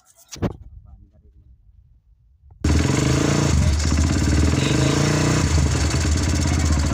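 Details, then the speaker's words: Kawasaki Barako 2 175 single before a tune-up and valve clearance adjustment. Quiet, then it catches and holds a busy, slightly rough idle with a clattery top end; engine has become noisy, cause not yet pinned down. "So ngayon magbabypass tayo guys kasi maingay na."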